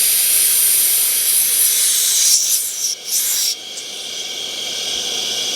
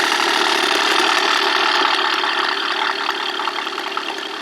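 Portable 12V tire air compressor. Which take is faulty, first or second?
first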